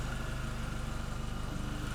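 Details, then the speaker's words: Mini Cooper S after replacing blown oil cooler and seals, coolant topped up and bleeding with heater on, run up to warm before dishwasher-tablet flush: quick even idle pulses over a soft steady rumble, no knocks or ticks; normal idle while warming. "So now we've just got to run it up and start getting things warm, and then we can drop our tabs in and get the system clean."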